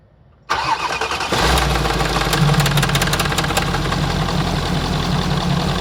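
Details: Mercedes W163 ML 400 CDI, OM628 diesel, at start-up: engine cranks and catches, then a loose metallic clatter rides over the diesel idle for a few seconds; timing chain rattle on cold start.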